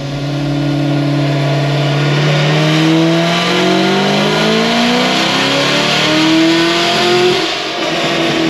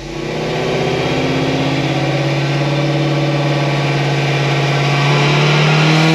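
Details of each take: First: Cadillac CTS-V3 with headers, ported blower and 103 throttle body on dyno: engine note sweeps up hard under full load, then goes ragged and uneven mid-pull, breaking up; injector suspected, not confirmed. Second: 2016 Cadillac CTS-V on dyno with headers, after replacing the high-side fuel pump that was dropping to very low pressure: strong, even wide-open pull with exhaust pitch climbing steadily and no misses or stumbles; pulls cleanly to the top.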